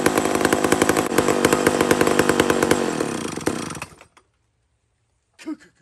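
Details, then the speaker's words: Mac 125 SP big chainsaw holds a strong, even high rev for several seconds with no bogging, then shuts off cleanly, pulling well in wood. Normal running. "this thing is ripping"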